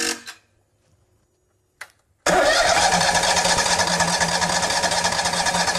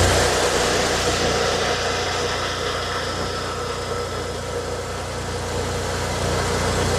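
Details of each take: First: Miller welder Kohler EFI engine after fitting replacement fuel pump for a faulty pump flooding the throttle body: steady churning crank that never catches; new pump was empty and still filling with gas. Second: Miller welder Kohler EFI engine after work on its faulty flooding fuel pump: once running it holds a smooth, steady drone at constant speed with no stumbling or surging; running properly.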